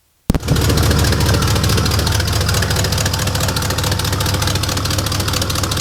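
Engine fires up to a loud, raspy idle with sharp uneven puffing chuffs, the classic sound of a big exhaust leak.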